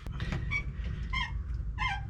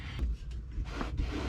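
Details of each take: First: Truck rocked: sharp rubbery squeaks about every two-thirds of a second from the upper shock mount, whose hardware is loose enough to let the shock move. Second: Truck rocked by hand: soft rubbery squishing and rubbing from the air suspension bags, normal and not heard inside; squeak traced to a slightly loose upper shock mount, just tightened.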